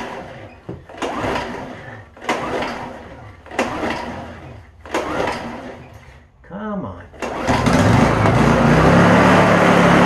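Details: Honda EU2000 inverter generator after opening up the over-drilled carburetor jet hole: four pull-start tries with a little choke, then it catches and holds a steady, even drone without surging, running much better.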